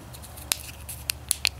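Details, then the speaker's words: ZAMA CHU 168H carburetor during clean-out and rebuild: dry, crisp crinkling clicks as the fuel pump diaphragm is flexed by hand; it is hardened and won't pump fuel, needs replacing from the rebuild kit. "okay so how is the diaphragm on this that's not good that thing is hard listen to that"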